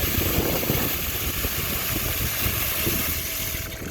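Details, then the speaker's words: Ditch irrigation pump running after priming, with all air purged from the pump and faucets: steady, even watery churn with no surging or air gulping. Normal pumping. "So all the air is removed from the pump. All the air is out of our faucets."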